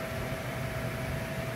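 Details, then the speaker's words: Air conditioner outdoor unit that was not cooling with iced-up lines, after thawing and plugging back in: steady even whir with a low hum, no rubbing or rattle; condenser fan running normally again. "I'm gonna kick it on now see now there we go I hear the fan now problem solved problem solved all right I can hear the fan okay"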